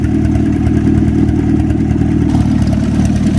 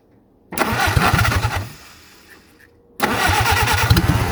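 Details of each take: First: WWII-era Jeep flathead, likely an MB, revived after years sitting, clutch now working: steady even low putter at idle, no misses or knocks, after a minute to clear up; running beautifully. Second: WWII-era Jeep, likely an MB, sitting for years, Solex carburetor: starter churns in two long bursts of quick even compression beats, never catches; fuel pump works but fuel not reaching the carburetor bowl.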